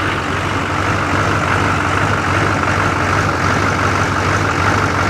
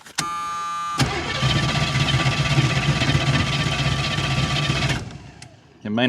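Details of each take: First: Engine idling steadily after being jump-started with an Autogen 4500A portable jump box once the fuel pump was primed and the box's overload protection was reset: steady, low, even clatter with no stumbling or misses, a normal idle. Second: Carbureted small-block engine cranked by a 4,500 A portable jump starter with no battery connected, choke applied: the starter turns about four times a second for four seconds but it never fires; carburetor thought to be bad, not confirmed.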